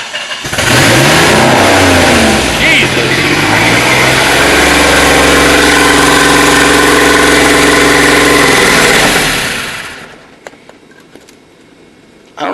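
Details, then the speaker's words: DeLorean engine that runs only with the cold start valve plugged in and shuts off when it is unplugged: it catches and surges unevenly with a loud airy hiss, hunts, then dies; the owner suspects a huge vacuum leak, possibly also a fuel delivery issue. "It sounds like it's got a humongous vacuum leak, just a huge vacuum leak."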